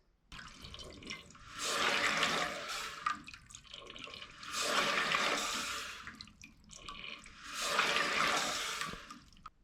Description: This fill valve is noisy and makes a pulsating sound when flushing.